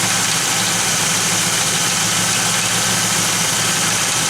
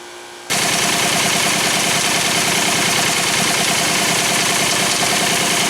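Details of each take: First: Pontiac Firebird (3rd gen) with rebuilt 1985 Quadrajet carburetor: stethoscope on an accessory gives only a smooth, even hiss, no grinding, chirp or knock. A noise that vanishes with the serpentine belt off is suspected to be the water pump. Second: Pontiac Firebird (3rd gen) with rebuilt 1985 Quadrajet carb, idling after the stock valve cover cured rocker noise: busy, fast ticking whir from the belt drive that vanishes with the serpentine belt off; exact accessory still unidentified.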